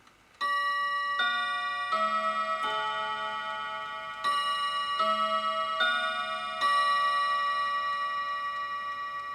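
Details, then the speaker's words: Mechanical clock striking the half hour just after 9 a.m.: clear, evenly decaying bell strokes with no hesitation or buzz; normal half-hour strike. "that's a half-hour strike the half hour child"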